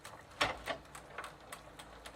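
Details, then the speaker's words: Sturmey-Archer AB 3-speed internal gear hub after WD-40 softened the old lithium grease, coasting in third gear: light, evenly spaced ticks, about four a second, over a quiet background; normal freewheel pawl clicking. "and you can hear the balls being overrun by the hub shell not a sound i was familiar to because well third gear wasn't working"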